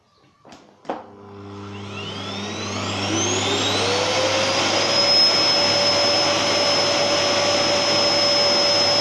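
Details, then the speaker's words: Genér8 Power Max 2000W vacuum cleaner, old unit, dial speed control: motor spins up with a clean rising whine and settles into a smooth, steady high pitch; loud on its highest setting, healthy motor. "so that's its lowest setting [Music] and that's its highest setting so yeah it is pretty loud actually when it's uh when it's on high"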